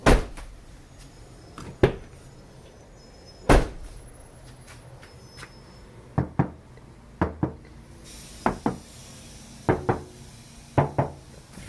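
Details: Pickup truck door, tapped before Noico/Kilmat sound deadening is installed: irregular hollow thuds and tinny knocks, loudest low down on the door; bare panel resonating.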